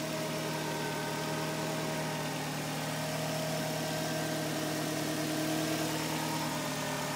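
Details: 2004 Nissan Sentra SPEC-V, 125,000 miles on body, 15,000 on rebuilt engine, 5,000 on clutch: even idle with a thin steady whine above the exhaust note; the sound turned out to be a bad alternator.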